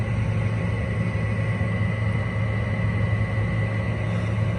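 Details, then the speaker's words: Window air conditioner running in a hot garage: loud, steady low hum and drone with a rough edge, a little quieter after some use. The fan motor needs bearings or replacing. "Fan motor needs new bearings, or just downright needs to be replaced."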